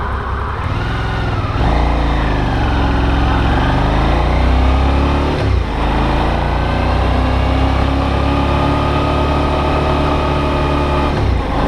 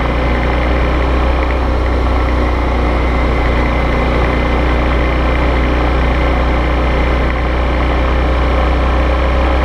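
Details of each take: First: Brand-new Suzuki V-Strom DL650 twin, comparison test ride with camera on bike, owner's white bike suspected of abnormal knock: smooth pull through gears, pitch rising and falling with throttle, no clear knock over wind rush; normal running. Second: Brand-new Suzuki V-Strom DL650 (white), camera on bike during test ride: steady V-twin drone under wind with loose irregular knocking about four per second; owner believes abnormal engine knock, dealer denied it.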